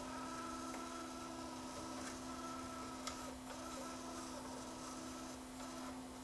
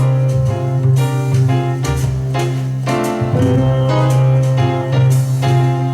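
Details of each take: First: JVC KD-V300 cassette deck during tape playback test, reverse direction: a thin, steady squeak at one pitch over quiet transport hiss. The repairer first suspects a slip clutch or bearing, but the squeak comes from the cassette itself. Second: JVC KD-V300 cassette deck after repair (was stuck in record with motor running), playing back its own recording of a piano track; piano notes hold steady pitch with no wavering or warble, tape drive runs at even speed; normal playback, no wow or flutter.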